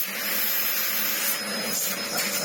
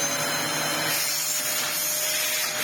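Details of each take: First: Restored Dyson DC04 upright vacuum, previously clogged with no suction or airflow, now cleaned out: strong, steady airy roar with a clean motor whine and no choking or surging; suction airflow is healthy. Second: Dyson upright vacuum (DC04/DC07) after restoration, with a new shelf-stored replacement motor fitted because the old one's brushes had fused: high rough motor whine with a rasping edge, then winding down; worn motor bearings, unsellable like this.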